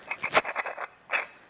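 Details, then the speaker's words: Original Peugeot water pump from a Peugeot 205 turbo diesel, removed at 85,000 miles during a cambelt change and spun by hand: quick gritty scraping rasps, no bearing left, was starting to leak, near failure. "There ain't no bearing left in there. There's nothing. I reckon another 5 miles."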